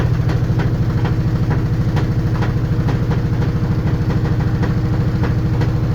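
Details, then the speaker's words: LG washing machine shaking and walking: heavy low thumping about two and a half times a second; drum shock absorbers knock and no longer hold, worn out. "Ну и слышите, да, стучат амортизаторы. Они абсолютно не держат, абсолютно гуляет вот это вот."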